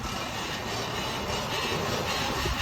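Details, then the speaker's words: 2006 Ford F-150 2WD: a steady, coarse roar from the wheel while the truck turns, traced to a bad wheel bearing, fixed at the spindle with a new nut torqued to 300 ft-lb. "turns out it was just a bad wheel bearing"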